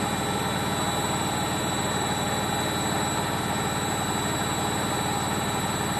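Constant heavy roar with a rough rumble and steady hum through the whole high-speed spin, the sound of worn drum bearings.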